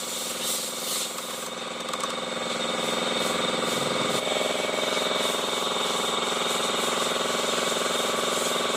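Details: Honda i-DSI automatic transmission: coarse, pulsing grind about three to four beats a second over the running engine, from inside the gearbox, with vibration and delayed shifting reported.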